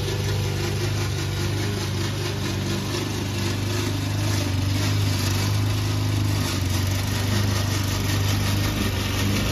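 Loud steady mower engine under load with a harsh rattling racket on top, pointing to a noisy drive system.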